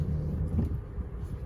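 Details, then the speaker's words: Honda Civic G10 at about 60,000 km, after replacing the wheel bearing that caused noise when turning the wheel. Manoeuvring with the wheel turned gives a steady low engine rumble, with no clunks or creaks from the front suspension. "Tá bom então carrinho vou fazer a manobra aqui para vocês verem que não tem mais barulho nenhum"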